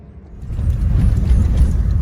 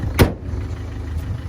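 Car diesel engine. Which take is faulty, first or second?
first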